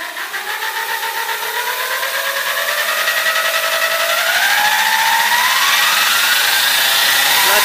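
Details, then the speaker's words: A 1970 Sunbeam geared lawnmower motor (claimed 3HP, normally 120V AC) on a 10–50V PWM brushed DC speed controller fed by a 49V battery: a clean whine climbs smoothly to full speed, running normally. "so the board is on now and let's see oh that's crazy it's working"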